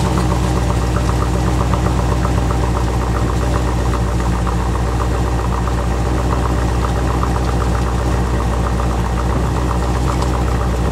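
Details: 1986 Corvette L98 TPI 5.7L V8 idling after cleaning clogged plenum EGR port (for EGR and knock sensor codes, failed emissions): steady even idle, smooth low rumble, no knocks or misses, running cleanly.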